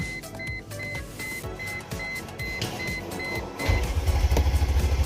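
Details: 2002 Mercedes-Benz CLK430 5.0 L convertible, intermittent no-start with crankshaft position sensor code: warning chime, then fast even starter cranking, engine never catches, no RPM signal while cranking; crank sensor suspected, fuel not yet checked.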